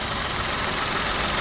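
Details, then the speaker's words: Old car idling, bonnet open: thin buzzy metallic rattle over a quiet, otherwise smooth engine note, rising and falling with revs; timing chain looks fine; loose part suspected, cause not found. "oise went up and down with the engine ribs but there's nothing in hell it's just that that rattle the rattle's still there it's a shame because it's a nice engine"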